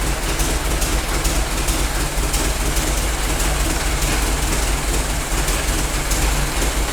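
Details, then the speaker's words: Worn-out Ford Model T four-cylinder on a PTO power unit, run briefly with no coolant: uneven rattly clatter over the exhaust beat; mixture adjusted once warm smooths it somewhat, but the tired motor stays noisy. "once it warms up a little bit I adjust the mixture it Smooths out pretty good it doesn't ever like purr like a kitten but we knew this motor was pretty wore out and it does run it's a little noisy"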